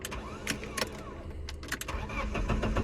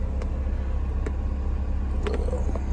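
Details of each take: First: BMW E36 with a misfire, sputter and limp mode appearing once warm, first start in two days: quiet cranking, then it catches into a slightly uneven, lumpy cold idle, rougher than usual already; rough cold idle, cause not yet pinned down. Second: BMW E36 idling before full warm-up: steady, even low idle, no rumble or shake, faint ticks; normal idle, though it sputters, bogs and goes into limp mode once at mid temperature, owner suspects vacuum leak.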